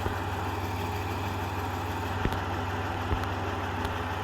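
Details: 1993 Dodge Grand Caravan LE, about 166,357 miles, after a new water pump, idler, tensioner, belts, coolant and fluid changes: a smooth even low idle with a steady rumble and no growl, whine or knock, healthy.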